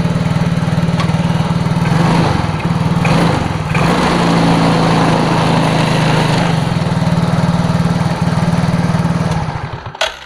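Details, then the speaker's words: Yamaha Mio J scooter that won't return to idle: engine holds a fast steady buzz, speeding up further with more throttle; suspected dirty throttle body/TPS area and injector, to be cleaned. "jadi dia di gas malah ngebut dan malah kalau ditambah gas lagi RPM tinggi dia malah nambah gas lagi ia tidak mau langsam dan menambah kecepatan"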